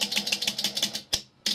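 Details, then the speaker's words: Philco 39-116 radio, remote-controlled stepping relay after repair: rapid crisp clicks about six a second, then two single clicks. No grinding; the selector switch moves normally and the position lights rotate correctly. "and now you can hear the relay no grinding and the switch is acting normally moving to different positions"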